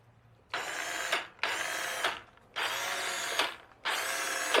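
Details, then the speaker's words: Power Wheels ride-on toy after installing a new drive motor onto the existing gearbox, bench-tested in forward: four clean bursts of smooth, even motor whir, no grinding or clicking; new motor runs properly. "New motor is installed. Let's hook it up and see if it works. Forward works."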